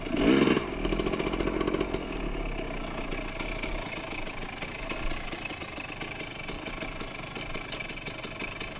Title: 05052018 pleasant valley bottom end strange noise